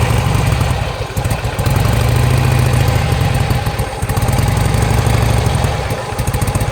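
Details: 2007 Harley-Davidson Sportster, suddenly lost 90% power, fuel pump keeps running; spark plugs replaced and fresh gas tried: lumpy uneven idle that falters with pops, backfires and near-stalls when throttle is pushed; cause unknown.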